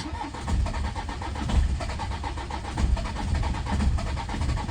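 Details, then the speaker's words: Citroen C5 diesel, after repeated glow-plug cycles and a jump pack: long crank with uneven coughs and weak catches that never pick up, blamed on petrol contaminating the diesel. "It's coughing and it'll cough like that for for quite a while and then eventually it'll start it'll run really rough. It'll smoke a bit."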